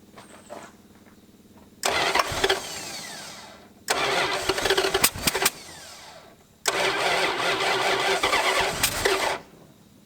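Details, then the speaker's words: 1986 Dodge Diplomat parked 25 years, coolant bubbling up at the thermostat, timing just adjusted: three long cranking bursts that never catch, until the battery is killed. Cranks but won't start. "well folks we have officially kill the battery and it's still bubbling up at the thermostat"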